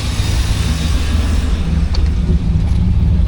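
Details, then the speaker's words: Normal warmed-up idle on a Suburban after replacing cracked, collapsed vacuum lines. It is a low, steady, even rumble with no stumbles and no service engine soon light; a vacuum leak was earlier suspected rather than a misfire. "Sounds good. We don't have the service engine soon light,"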